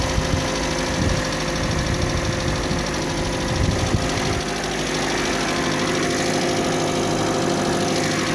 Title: Стук в двигателе kia sportage 3